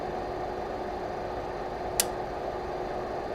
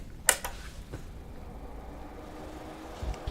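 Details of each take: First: Lavolta BPS-305 30V 5A bench power supply, mic close: steady fan hum with sharp relay clicks at 7.5, 15 and 20 V as the voltage is adjusted, showing a four-tap transformer switching normally. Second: you can immediately hear that it's a bit noisy you can hear the relays clicking when it powers up and you can also hear the fan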